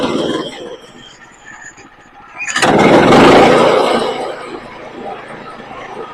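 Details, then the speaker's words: Woodland Mills HM122 sawmill engine after carburetor cleaning, improved with use while milling: catches right away, revs briefly, settles into steady even idle without stumbling; normal start and idle. "And now this thing, when you start it up, it idles fine, it runs fine."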